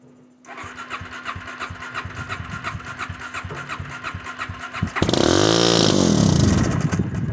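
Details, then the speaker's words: Suzuki LTZ 400 on starting fluid, spark, fuel and air confirmed; steady cranking pulses, then it catches, revs briefly and dies; fires but won't stay running, owner suspects aftermarket carburetor, else top-end rebuild. "man i wish that thing would stay running anyway uh it's be more this will be my part two um so it does run it will fire"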